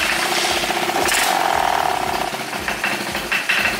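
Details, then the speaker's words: 1986 Honda Helix scooter, first start after rebuild: uneven, stumbling putter with irregular loud bursts and a rattle, barely holding a rough idle; some smoke, and an unidentified noise remains. "she running a little bit rough there's some smoke but it doesn't smell like bad smoke"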